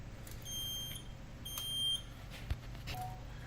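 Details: Edwards EST3 fire alarm panel: two short, high-pitched beeps about a second apart in a quiet room; the panel buzzer is sounding, cause unknown.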